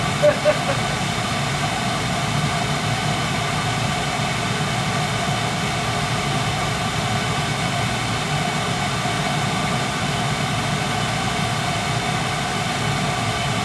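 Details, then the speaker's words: Eight-year-old Carlin gas conversion burner that had been tripping its safety reset, never maintained since installation; flame sensor cleaned (suspected dirty, gas valve or motor also possible); steady even roar with no surging or cutting out, burner firing smoothly. "but right now it's it's running smooth okay you hear it yeah"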